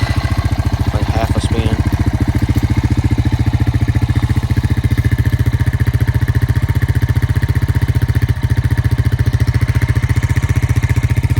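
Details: 2002 Honda Rancher ES ATV that sat 12+ years, after new battery, carb clean and idle adjustment: quick catch, then fast, even putter at idle with no misses, knocks or rattles; normal idle.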